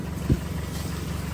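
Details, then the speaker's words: Toyota Matrix with 180,000 miles, with a separating passenger-side CV axle and dried oil leaks, at idle: faint quick light tick over the engine hum, source not yet pinned down; engine ticking at idle. "I'm not sure why, but as you can hear, the engine does have a little tick. We'll try to address that with a couple of different things."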